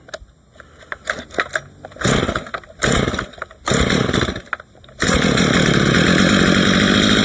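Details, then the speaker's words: Stihl MS 230 chainsaw with aftermarket parts, test cuts after a tune-up: revs up in bursts and bogs between them, then settles to a steady high scream; stumbling under load, likely brief fuel starvation when the saw ran short of gas. "Oh, probably because we had no gas in it for a second."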